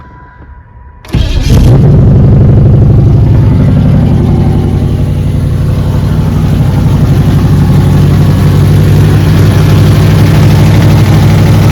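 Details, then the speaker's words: Camaro, started after sitting 6–7 days in alternating cold and hot weather, ignition timing not yet set: the engine catches and settles into a loud, lumpy idle pulsing about four times a second. Rough idle from the unset timing. "Again, she's not going to idle good. It's not going to be the perfect idle, but at least you'll be able to hear it start up and see that it is operating and getting itself ready to go."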